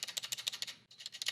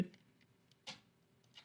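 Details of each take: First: GK64S mechanical keyboard, delete-key plate-mounted stabilizer: rapid sharp, tinny clacks with a loose buzzy rattle on each press; stabilizer rattle. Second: GK64S mechanical keyboard stabilizer: crisp keypresses with only a faint high-frequency tick and no loose rattle; quiet stabilizer.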